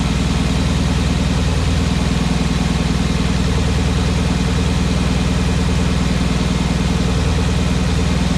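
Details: Porsche Cayenne Turbo 957, cold engine at idle: steady low drone with a repeating beat near 200 per minute; abnormal noise, cause unclear.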